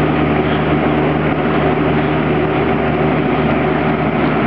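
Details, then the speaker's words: Patton Electric three-speed box fan, about 14 inches, model and age unknown, owned since the late 1980s, with a large standard (not pancake) motor, running and turned away from the camera. Steady even whoosh with a faint low hum, no rattle or wobble: runs smoothly. "see I'm going to turn it away so it's not blowing right at the camera so you'll be able to hear me better but see just a nice little box fan"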